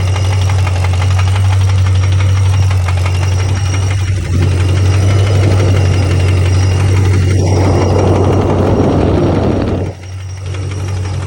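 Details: 2006 Pontiac GTO LS2 6.0 supercharged, noise appeared suddenly, runs perfectly, no codes, rockers and pulleys checked; faint, even tapping about four per second at idle over deep hum; engine knock of unknown origin, rod or lifter suspected.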